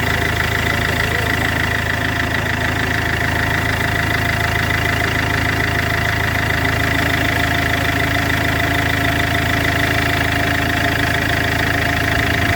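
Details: Iveco 2.3 16v diesel idling with a steady tick of about 200 per minute and a thin high whistle; abnormal idle noise attributed to a damaged turbocharger.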